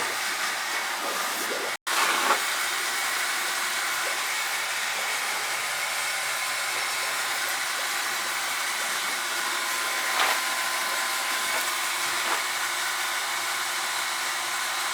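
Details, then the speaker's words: Hydronic circulator pump on a newly installed replacement oil boiler, heard while purging the zones: a constant hissing, rushing sound over the pump hum as trapped air is pushed through. The air can also be felt by hand, and there are no leaks. "Hear the pump from hell over there. You hear all the air coming out of it."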